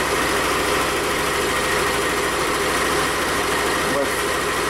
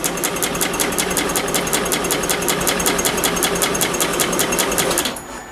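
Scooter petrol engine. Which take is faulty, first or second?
second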